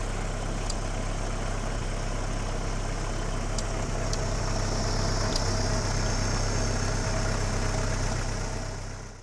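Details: Vintage tractor switched over from petrol to TVO fuel: low, steady, even idle with no knocks or misses; quiet and healthy.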